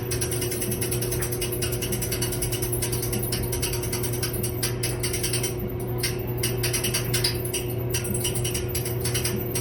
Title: Dryer making a weird noise